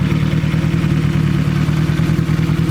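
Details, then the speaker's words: Turbo 1.8 Chevy Cruze converted to AWD, after refitting cam gears, alternator belt and engine mount: steady even low idle, the earlier belt noise, rattle and slop from the front of the engine gone. "Oh, much better. That belt noise, that rattle that we had there before is gone. The slop is gone."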